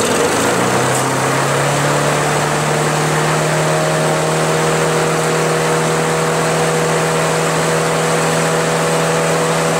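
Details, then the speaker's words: Craftsman push mower, Briggs & Stratton Quantum 4.75 engine, running with the governor linkage tension spring unattached and no air cleaner cover: high, steady buzzing drone held flat; engine overspeeding, RPM too high. "that's right the RPMs are too fast and it's missing the air cleaner cover which I do not have"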